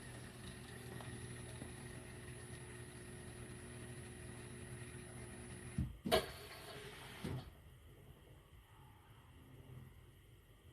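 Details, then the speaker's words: Siemens dishwasher with error code E25, bench test before reassembly after pump work, started to check the pump for leaks: steady low motor hum of the drain pump running normally, then clunks and a quieter hiss. "avant remonter on allume on appu sur départ donc là le broui qu'on entend c'est la pompe"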